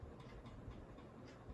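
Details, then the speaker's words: 42-inch Synlix ceiling fan after cleaning, loose bottom piece taped on threads, speed raised: low steady hum with soft irregular ticking and rattling several times a second; owner thinks bottom piece makes the noise. "it makes weird noise i don't know why let's crank it up okay so yeah i think it's that bottom piece that makes that noise oh no it's odd"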